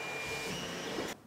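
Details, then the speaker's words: Stock Creality CR-10 3D printer printing, shotgun microphone aimed at it: loud steady hotend-fan hiss with thin stepper whine, louder at higher print speed, then near silence; the fix is a Noctua hotend fan and stepper vibration dampeners. "the positive printer prints that worse the sound gets and so that it hits a certain speed it gets even louder this just is unacceptable"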